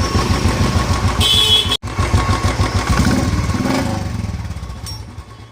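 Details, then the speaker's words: Royal Enfield idling after repair of a starter (self) noise that previously sounded during and after starting: even, steady single-cylinder thump with no clatter or whirr from the starter side; normal idle. "ये देखो एकदम गाड़ी ओके है, कोई साउंड नहीं है इसके अंदर। ये गाड़ी कंप्लीट है हमारी।"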